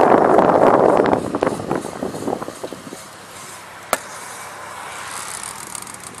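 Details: Rhythmic rubbing swish from a car wheel, about four a second, fading out as the car slows; wheel rubbing noise.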